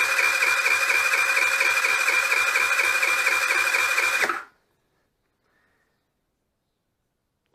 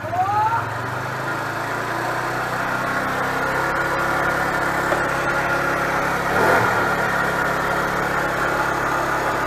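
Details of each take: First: Nearly new GY6 4T scooter at 900 km that won't start, compression test: quick, even cranking at about two beats a second with no labored strokes, then silence. No compression. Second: Nearly new GY6 4-stroke scooter with about 900 km catches and settles into a steady, even idle with no tapping or misses after valve clearance adjustment fixed a no-start with low compression; normal idle.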